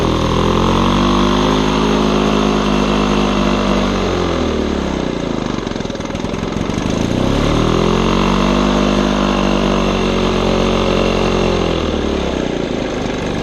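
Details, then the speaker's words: 1975 Lawn-Boy two-stroke mower on mixed gas, missing air filter: engine hunts, speed swinging up and down about every six seconds with rough uneven beat; runs very rough though blade drive works, carburetor cleaning planned. "it runs very rough it switches RPMs quite frequently but everything mechanically works"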